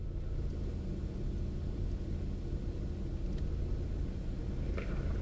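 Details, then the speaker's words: Opel Astra G 1.6 16V X16XEL: idle surged from choke-off until about 68°C coolant, with the lambda trace matching the swings. At 66°C it begins stabilizing into a low, steady, nearly even idle. The engine ECU was later found to be the cause. "przy 66 stopniach zaczęło się stabilizować No i teraz niby już prawie chodzi równo nie do końca ale jednak"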